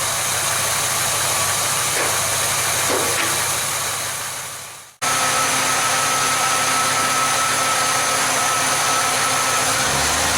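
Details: Chevelle V8 whose oil pressure warning light never comes on, idling at about 730 rpm with a mechanical gauge reading 44 psi: an even, steady idle under hiss, with no ticking, knocking or misfire; normal idle.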